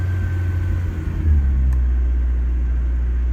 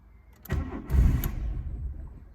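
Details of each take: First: Volkswagen Jetta, cold start after two years sitting, choke partly pushed in: deep steady low rumble settling into an even idle with no knocks or stumbles; running beautifully. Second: 1991 Volkswagen Jetta at 126,000 miles, first start after two years sitting: starter cranks in low, uneven bursts and the engine nearly catches with a brief rumble but won't idle, before the choke is pulled.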